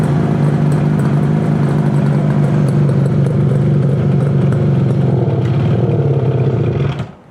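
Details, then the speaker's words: 1968 Yamaha YAS1C 125 two-stroke twin, carburetors cleaned, right cylinder misfiring: ragged uneven idle that sags and nearly dies when throttle opened, better with choke; owner suspects right-side carburetor pilot jet; hesitation off idle. "you hit the gas and it just won't take it you turn the choke on and it uh is better so my thought is probably carburation uh probably the U pilot jet on this side that would be a my first guess"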